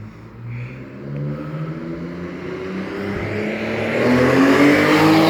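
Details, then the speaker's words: Alfa Romeo 156 with the 3.0 V6 Busso engine, freshly fitted sports exhaust system, recorded driving past under acceleration: a clean, rising V6 howl climbing smoothly in pitch with no pops, rattles or flat spots; normal exhaust note. "sounds pretty good sounds pretty good it's getting louder he doesn't realize it's going to get a lot louder here we"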